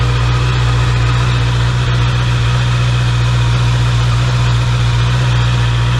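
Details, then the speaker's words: Brand-new 2024 Honda CBR650R, 300-mile break-in oil change, running a few seconds after adding 3 quarts to check level and leaks: smooth even idle, steady low drone, no knocks, ticks or misses; normal idle. "I'm gonna start it up now for a couple seconds, and then gonna check the level and then make sure there's no leaks."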